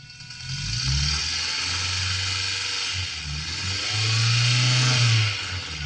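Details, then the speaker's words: 4EFE turbo engine heard through a DIY knock-monitoring pickup into the car stereo: hissy signal with low engine tone climbing and falling on two light revs, no sharp pinging, so no detonation. "that is like a really clear sound from the engine it's the same as having like a stethoscope"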